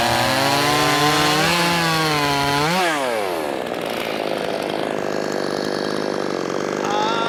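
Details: Brand-new Wemars 6220 chainsaw, fresh and not broken in, shakedown cuts: high two-stroke scream dips as the chain bites, then holds strong and steady through the cut; pulls hard, runs healthy under load.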